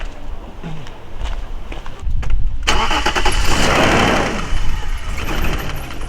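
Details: BMW 535i, high mileage, bought for $500, basic maintenance done: engine cranks, fires and settles into a busy idle with light, fast ticking over the top; owner calls it valve noise, says valves can be adjusted but won't be.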